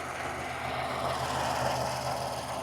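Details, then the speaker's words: 2016 Ford Expedition 3.5L EcoBoost started after replacing driver-side (left) O2 sensor, checking for exhaust leaks: steady, even hum, no ticking, puffing or hiss; idles smoothly, running fine with no exhaust leaks heard. "right, it's running fine and I don't hear any exhaust leaks."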